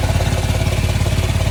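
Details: New Cascadia diesel at idle, exhaust leak being a common issue on these trucks. A rapid, even puffing tick locked to the idle firing pulses, the sharp chuff of an exhaust leak.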